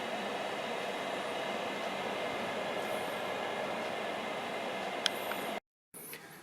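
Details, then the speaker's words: Veterok-2 (Spectr-Pribor ESOF-0.6/220) vegetable dryer fan running, blowing cold air: soft, steady whoosh at constant speed with no rubbing or wobble, then handling clicks. Normal fan running. "For me, this is about the noise of a working air conditioner, well, or like a fan in a car when you turn it on. This is about the same level of noise."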